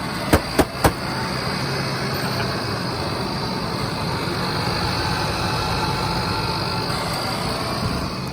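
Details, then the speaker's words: Ford F-150 after sitting about 6 years, corroded fuel pump replaced and tank dropped: a few clicks, then a steady even idle hum with no knocks or misses, purring like a kitty. "I didn't get it on video, us cranking it up, but crank it up. Boy, she's purring like a kitty."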